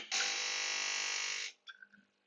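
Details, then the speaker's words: Gaggia Brera espresso machine (2014) during descaling rinse stage with fresh clean water: steady loud pump buzz about 1.5 seconds, then stops with soft gurgles; pump priming itself normally. "You can hear the pump priming itself again. Just let that flush through."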